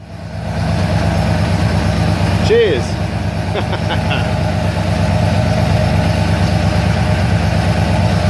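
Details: Ford Falcon XC GXL under restoration, its 351 V8 idling, not yet warmed up: a deep, steady burble with an even low rumble and no misses, knocks or ticking. Normal idle.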